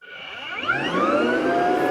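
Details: Rainbow PN12 power nozzle (1.2 A, brush roll), squashed from sitting on cement, during refurbishment with new belt: whine climbs in pitch as motor spins up, then holds steady high tone; brush roll may be binding.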